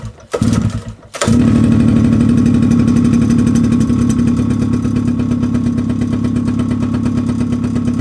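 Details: Mid-1990s Suzuki LT50 two-stroke quad, unstarted for months, old petrol, old spark plug before cleaning: fires up with an uneven, stumbling beat and wavering pitch, never settling; rough running, plug suspected.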